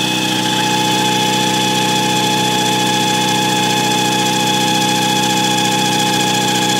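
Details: Mazda RX-7 at idle; thin, constant, steady-pitched squeak over the engine. Owner suspects the belt-eating alternator; squeak at idle.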